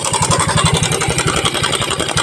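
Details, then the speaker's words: Mio Soul i scooter engine idling with a fast, loose rattling clatter over the firing pulses when the cam chain tensioner is backed off; faulty tensioner, quiet when tightened, to be replaced. "maingay na ngayon pawawalan natin yung ingay Sira na Ong tensioner niya Lagot na Lagot na"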